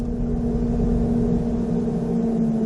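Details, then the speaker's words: 2005 Chevrolet Corvette C6 with a newly installed Casper's manual high-low fan controller switch: electric radiator fans give a steady, even whoosh and low hum with no pulsing or rubbing, running smoothly on high. "for the fans there's the fans they just kicked on I don't know if you'll be able to hear that the launching off so there's the fans on it's a high"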